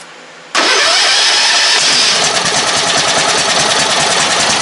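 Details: Ride-on mower engine after replacing a leaking fuel tank, started with a screwdriver in place of a key: catches at once after short crank, settles into steady busy idle, no stumbling or knocking; normal start and idle.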